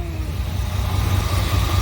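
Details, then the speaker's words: 1988 Chevy K2500 pickup after fuel-system overhaul, converted from fuel injection to a rebuilt Edelbrock 650 carburetor, running with no fuel leaks: steady, even low V8 rumble with no misses, knocks or hunting; normal idle. "I think so I don't see any leaks she hasn't shut off yet"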